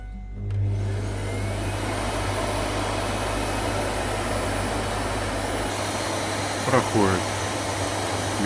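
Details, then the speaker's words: Bosch Roxx'x ProPowerPlus BGS5PWER/02 vacuum that flashes red and drops speed, run with the rear outlet filter removed: steady motor drone, then hum drops and chirps as inlet-filter cleaning triggers; outlet filter ruled out, inlet filter suspected. "и все равно срабатывает очистка фильтра входного. Значит, выходной фильтр у нас ни при чем."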